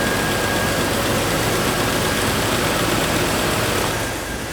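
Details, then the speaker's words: 2000 Jeep Wrangler TJ after reassembly, steady even idle under hiss with no knocks, ticks or misses, a little oil burning off, possible valve cover leak suspected; normal idle. "Yeah, buddy. I don't hear any like crazy noises in the in the engine. A little bit of oil burning off of it."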